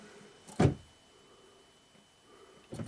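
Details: 2012 Buick Enclave power liftgate latched shut, no DTCs: two short latch motor buzzes about two seconds apart over a quiet background as the handle switch is pressed. The actuator cycles but the gate never releases.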